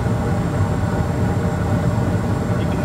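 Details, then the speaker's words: Bryant package unit gas furnace after gas valve replacement, two-stage jumpered to high fire: steady, even low roar with no flutter or surging; healthy burn. The old gas valve wasn't putting out enough gas. "it sounds better flame looks better so the old gas valve took a old chanky for the ass whooping"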